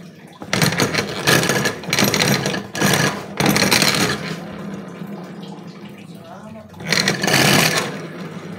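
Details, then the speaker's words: Carbureted Honda Beat scooter, rear wheel turned by hand: a harsh, gritty grind rises and falls in bursts from the CVT side, very rough and severe; the cause is not confirmed yet. "teman-teman Suaranya sangat terdengar kasar sekali ya"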